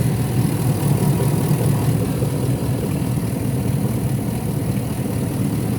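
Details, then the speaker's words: Hummer H2 with a 6.0L GM V8 idling with the accessory belt removed: smooth, quiet low rumble with no knocking or rattling. This confirms the knock came from the alternator with a broken shaft. "As you can hear no rattling sound engine running like super quiet and nice"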